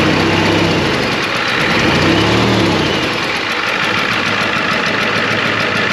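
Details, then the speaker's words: 1993 Ford F250 IDI diesel at idle while hunting for a bad injector, noise seeming to come from one side of the engine: clatter with a slightly uneven beat and an occasional skipped pulse; mild miss, cause not pinned down. "well has a slight Miss want to drive it around a little bit"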